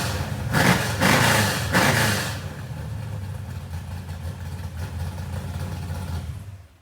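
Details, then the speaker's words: Freshly built small-block Ford 427 Windsor V8 street car restarted after its first start, big cam: deep choppy idle with an uneven loping beat about two per second after a few throttle blips; healthy lumpy cam, nothing wrong. "But you heard it start up, and boy, does it sound nasty."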